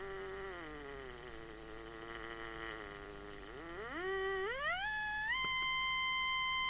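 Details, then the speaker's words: 1981 Binatone Long Ranger 40 CB27/81 UK FM CB handheld being retuned: a clear whistling beat tone steps down, then climbs as the crystal is adjusted; the crystal won't quite come on frequency. "So can we hear that musical tone? We have to nullify that. There's the inner crystal. I mean, it's hardly off frequency, to be honest."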